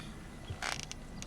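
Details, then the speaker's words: 2006 Chevrolet Cobalt SS backing down the driveway over bumps: a dull thump, then a brief rattly clunk and light knocks from the front end, caused by worn front stabilizer (sway bar) links; the car also feels unstable on the highway. "you know you can just kind of hear it kind of clunking in the front yeah right there see so i leave the driveway"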